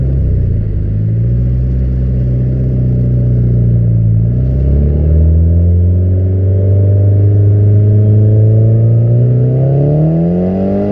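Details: Nissan 200SX S14 on test drive with cheap AliExpress injectors, previously running lean with jerks: pitch climbs smoothly and evenly through the revs without hesitation; now revs climb consistently up to the cutoff.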